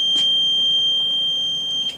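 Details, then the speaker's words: One steady high electronic tone lasting about two seconds over quiet room noise, an alarm warning tone, cause unknown. "At the same time, you're going to have the strobes and horns go off throughout the building. So most likely when you come up to the panel, you're not even going to recognize the tone on the little panel here."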